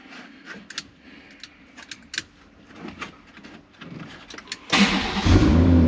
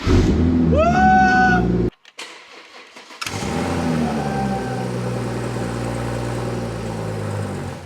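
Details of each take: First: BMW 114i with swapped M140i B58 engine, after adding fuel: clicks, then catches at once into a strong steady run; owner thinks it was simply out of fuel. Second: BMW 114i converted with M140i engine, first start attempt after swap: starter whirs with rising whine, brief rough catch then dies; owner reckons fuel system not primed, only residual petrol fired; no start.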